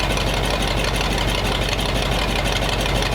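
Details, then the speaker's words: Rough, lumpy, uneven idle with a light metallic jingle; hose clamp on the radiator was rubbing the crank pulley, owner suspects ignition timing is off and notes the distributor advance isn't hooked up; rough running, cause unconfirmed. "Not real happy. I think the timing's not quite right on it. Probably not."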